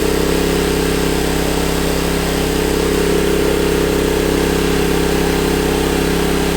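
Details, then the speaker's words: Honda EB1400X generator that previously wouldn't put out power, now making power: steady, even drone with constant hum, holding speed without hunting, reading 112 volts at about 60–65 hertz; running properly, AVR still to be adjusted. "Really, it's 112 volts with 60, whatever it was, 65, whatever hertz. Smokers. I don't even know what to say. I wasn't expecting it to work."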